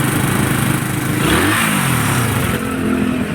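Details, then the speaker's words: Raider 150 motorcycle single running steadily with a light, quick tick over the exhaust note, same whether hot or cold and unchanged; top overhaul planned to find the source. "ito boss, mainit malamig, ganito na. Ganyan na talaga. Wala nang pagbabago."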